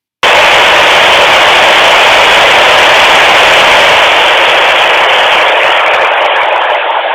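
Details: Luiton LT-316 walkie-talkie on receive: a sudden loud, steady hiss of static with no voice that fades slightly at the end; unexplained static noise on the receiver.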